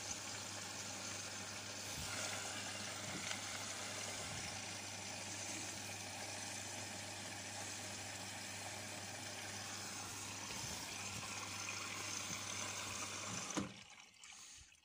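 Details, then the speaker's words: Indesit front-loading washing machine: steady motor hum with no sound of the drum turning, so the motor runs but the drum does not rotate; owner suspects a belt that has loosened, stretched or come off its seat. "voilà on entend le moteur tourner mais le glow ne tourne pas"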